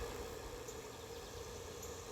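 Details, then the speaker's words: 1973 Corvette Stingray idling after its rattling, cowbell-like clanging tailpipe was spot-welded: a soft, even idle with a low, smooth rumble and no metallic clanging or rattle; normal idle after the repair. "Yeah, you hear that? Nice, no clanging. Okay, looks great. Sounds great now."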